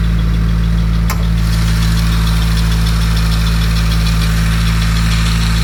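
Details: Cold start on a 2017 Subaru WRX: deep, uneven, lumpy idle with stutter; P0303 cylinder 3 misfire, count reaching 100 repeatedly, fine warm and at WOT; plugs 1 and 3 replaced, oil on cylinder 3 plug, owner suspects internal issue.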